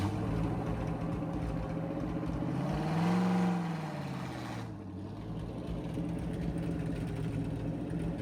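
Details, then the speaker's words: 1963 Chevy C10 test drive after servicing a wheel bearing with grease: a smooth engine drone rises and falls with road speed, with no rhythmic knocking. The earlier knock is gone. "All right. So, as you can see, we drove around a little bit. The knocking noise is gone. So pumped for that. That it was just a wheel bearing."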